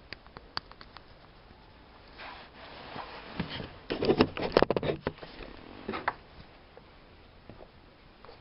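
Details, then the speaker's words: Worn steering tie rod end ball joint from a 2011 Renault Kangoo 1.5, removed from the right side, rocked by hand beside the new part: irregular dull clacks and rattles from its obvious play. "так на вид вроде расстояние одинаковые старый нашей детали шарова его уже болтается"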